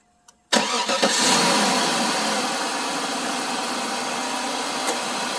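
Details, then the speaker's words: 2004 Cadillac DeVille 4.6 V8: cranks, catches quickly and settles into a steady, smooth idle with no rattles or clicks; normal idle. "and as you can hear no rattles no clicking it's a great car"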